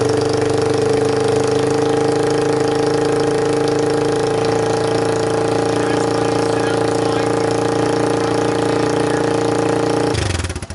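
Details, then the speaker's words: 2002 Yamaha Warrior 350 ATV on a tripod camera, with choke and fuel on, before the new DG muffler: loud, raw single-cylinder bark with a hard unmuffled drone held steady, then cut; straight-pipe exhaust that draws neighbor complaints. "so that's what it sounds like with the straight pipe exhaust and that's what gets me complaints from a neighbor"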